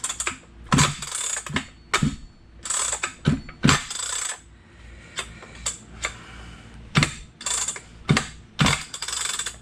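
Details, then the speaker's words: Stihl 031 chainsaw during reassembly after cleaning: pulling the recoil starter gives irregular ratchety clicks and rattles instead of a steady crank; starter slipping though the pawls move as they should. "That doesn't sound good. I That's why I wanted to check before I got too far. So yeah, the starter's slipping for some reason."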